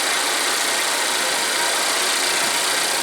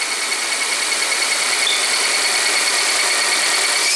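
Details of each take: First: Volvo at high idle warming the catalysts after replacing the oil trap to clear DTC P0171: a steady, even idle with a smooth hiss. The earlier whistle is gone, and the engine runs normally. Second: Volvo idling with a failed home repair of the oil trap (PCV, part 32140004), causing code P0171 and high idle: a steady high-pitched whistle over quiet idle; vacuum leak whistle from the failed oil trap, fixed by replacing the part.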